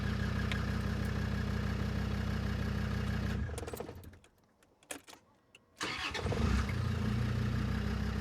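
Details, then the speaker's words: Land Rover Defender 90 TD5 after a new Denso starter motor, earth straps and battery terminal were fitted: the running engine drops out, then a short crank catches cleanly and settles into a steady, even diesel idle. "That sounds a lot better. That's purring away."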